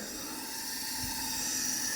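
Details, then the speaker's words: 1974 Yamaha TX500 sat 27 years, leak-down test on right cylinder: steady airy hiss escaping from the carburetor; intake valve not sealing, carboned seats suspected. "Yeah, that's definitely the carb. So, I don't think the valves are sealing on the right hand side cylinder. You can hear pretty pretty good there."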